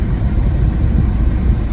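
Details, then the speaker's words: 2011 Citroen C3 1.4 HDi diesel after a fuel filter change and bleeding via the hand pump and the fuel pump, code P0087; first start gives a low, even rumble with no misses or rattles, a smooth idle. "Right, we'll give him a turn over. And there he goes, running nicely. So we've got a smooth idle."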